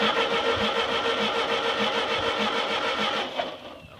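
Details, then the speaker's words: Ford 8N tractor that sat 4–5 years, cranking on a weak battery with only a squirt of fuel, no gas in tank: starter turns steadily with faint attempts to fire, but it never runs and winds down; needs fuel. "well let's uh let's get some gas I heard it trying to Fire and uh let's put some gas in this thing and see what it does"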